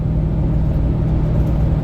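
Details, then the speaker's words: LBZ Duramax diesel towing a 15,000 lb fifth wheel up a long highway climb at about 45 mph; coolant around 235–239°F. Deep steady roar with whooshing whir: viscous fan clutch fully engaged, temps coming down. "we're still coming down pretty quick on the temps 235 fan is in full full ref mode"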